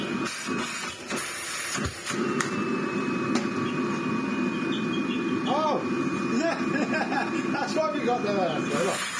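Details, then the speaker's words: Miele CX1 Comfort XL bagless cylinder vacuum, after service for loss of suction: steady airy rush with faint high whistle on top, strong airflow from filter; a slight air leak was spotted. "she got excellent air flow coming out of our filter that's barous however I am spotting a slight air leak"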